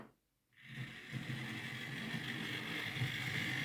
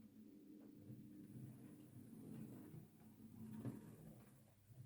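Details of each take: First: Used Hornby R2959 Thompson L1 2-6-4T model locomotive on test track; gritty, buzzing grindy whir running forward but quiet in reverse, likely a lubrication issue with the dry worm gear. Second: Used Hornby R2959 Thompson L1 2-6-4T model locomotive on a test track, running with the gearbox cover off after its worm gear was greased with lithium grease and gear oil: quiet steady motor hum, no grinding, geartrain sounds okay.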